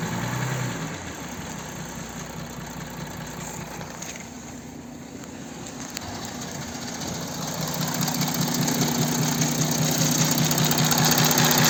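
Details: Audi Q7 4M 3.0 TDI, 60,000 km: steady diesel idle with a faint, regular crackling tick about two and a half times a second; extraneous engine crackle, source not identified.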